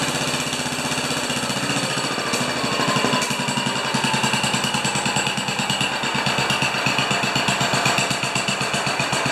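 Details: 10 HP Kohler K241 single-cylinder engine, turned down, after installing a modern plastic fuel pump: steady four beats a second with even firing and no misses; running normally.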